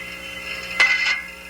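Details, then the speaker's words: 1970s training demo of a thermodynamic steam trap, condensate discharging downstream: one sharp metallic click with a short ring as the disc snaps, then rumbling while open, repeating; normal trap cycling. "long as it remains open you should hear a rumbling sentence as the condensate passes through the trap then as the trap closes there will be another quake and these sounds will be repeated"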